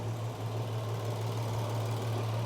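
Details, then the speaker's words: VW Passat R36 running in drive to warm the gearbox oil, after the dog bone mount was fitted: smooth, deep, even idle with a steady low hum and no knocks or ticks. There are no leaks and no engine light. "engine sounds good this side's in full flow back wheel seems to be spinning quite a bit"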